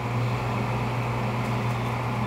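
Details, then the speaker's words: American Standard gas furnace during sequence-of-operation test, after inducer start and pressure switch closing with 24 volts: steady low hum with an even roar, no flutter or dropout; burners ignite and fire normally. "But see, here she goes. She's going to fire and everything."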